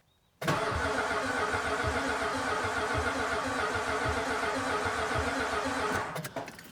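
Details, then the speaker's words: 1975 Chrysler Australia CJ with a Mopar 360 V8, first crank after sitting a long time, fuel tank possibly empty: the starter churns steadily about six seconds with an uneven, galloping beat and never catches; cranking without firing. "Sounds like it's got a little bit of a gallop to it. I might just keep cranking on that for a bit."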